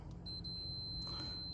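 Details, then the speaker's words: Multimeter continuity check on an aftermarket tilt steering column: one steady high beep lasting just over a second confirms the horn ground wire is making good contact with the plunger. "we hear that beeping we know we have continuity so we're making good contact"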